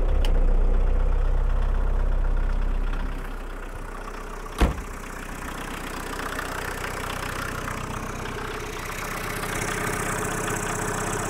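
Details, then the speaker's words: 1.6L turbo diesel idling warm before the high-idle adjustment, heard outside and inside the car: slow, lumpy idle with a steady clattering knock and dashboard rattles, worse when cold; idle speed set too low. "you can uh probably see my dashboard shaking and just kind of hear just hear the rattles for a second okay and then imagine it being like cold and it rattles all way worse becaus"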